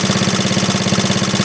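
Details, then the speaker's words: 1939 Onan DC generator rated 115 V, running after repair with a 300-watt light plugged in, half its rating. Quick, even firing beat with a low hum holds its pace under the electrical load; engine healthy. "Well, as soon as you kicked that in there, he knew that was on there."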